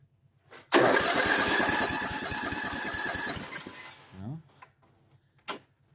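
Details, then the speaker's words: Ford, first start after a new head gasket and head repair, on choke: catches, runs unevenly about three seconds, then dies and won't restart; cause not yet found. "choke now it's not Starry what the heck all right well it ran so call that a win figure out what's wrong now"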